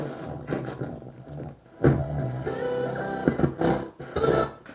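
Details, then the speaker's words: Kenwood KR-44 receiver: FM and aux music harsh and fuzzy, loud passages crackling in both channels; heavy distortion. "FM is quite distorted though oh my God excited everything's very distorted in FM that Distortion might be because we are on the dim bulb"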